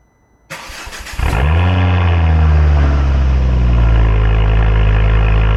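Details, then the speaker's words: Ford Focus XR5 Turbo after new coil packs and RS spark plugs fixed a misfire, with codes cleared; cranks, catches quickly and settles to a smooth, steady idle with no stumble. Normal cold start and idle. "Sounds much much better. Woo! Yeah, baby. That's what I've been waiting for."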